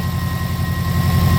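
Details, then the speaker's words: 2003 Subaru WRX wagon 2.0 flat-four, 800 miles after removing the Killer B oil pan that caused engine knock: low, even idle rumble with no knocking or tapping; problem solved. "And as soon as we remove that, problem solved. So it's all good."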